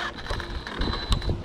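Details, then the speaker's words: Kraton 6S RC truck with broken differential: short sharp clicks through the drivetrain whirr as it turns; the wheel isn't driven even though the driveshaft is still attached. "you can hear it clicking that's the differential"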